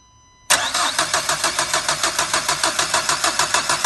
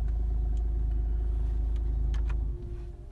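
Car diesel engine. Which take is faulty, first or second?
first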